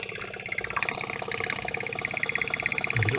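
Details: Whale FP0184 Watermaster water pump in a 16-month-old Bailey motorhome, refilled after winter drain-down and repaired, air still purging: busy, fast buzzing with fairly even chatter and water gurgle while pressurizing; normal pump running.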